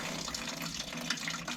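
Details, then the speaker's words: Old one-pipe heating system, cold feed from an old gravity tank in the roof that was blocked: after bashing the feed, a steady, strong splash of water pours without sputter or gurgle; the cold feed now flows freely. "bit more bash this cold Fe and see if we get any more out of it oh there you go you can hear it coming now just open it up"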